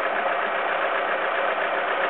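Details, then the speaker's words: 2001 Alfa Romeo 147 T-Spark petrol, 5-door, just jump-started, warming up with some smoke, revs settled around 900: steady even hum, no knocks, misses or rattles; normal quiet idle. "if I think it does sound quiet though I don't have to shout"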